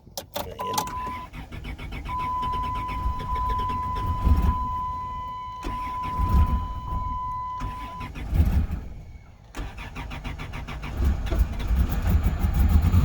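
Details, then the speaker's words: Lincoln V8 revived after sitting: a chime pings while it cranks and fires with a little throttle, then holds a steady, even idle with no misses and no smoke. No check engine light; brake and ABS lights are on. "Well, I usually use a little bit of throttle, but no smoke. And yeah, it runs good."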